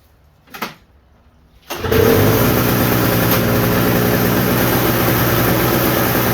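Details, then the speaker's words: Toro snowblower sitting about a year, winterized with Sta-Bil, warm restart without starting fluid: quiet, then a quick catch and a steady, even idle; normal restart. "Let's see if it starts back up. No starting fluid."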